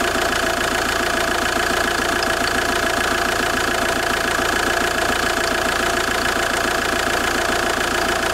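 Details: JTD 105 diesel idling with the engine cold. A weird, fairly regular creaking tick, about three or four per second, sits over the steady clatter. Source unclear.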